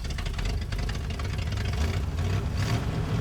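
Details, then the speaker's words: 1960 Chevrolet El Camino V8 unrun since 1998; a low, uneven rumble with a loose beat as it catches and runs for about 9.5 seconds. "Christine just made noise for a solid 9.5 seconds, which is probably 7 seconds longer than the Rotson ever made noise for me."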